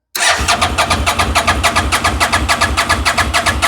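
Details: Fire-damaged CF Moto Z Force 800, spark check during cranking: steady cranking under two beats a second, turning evenly but never catching; crank no start, no spark seen, plug boots suspect.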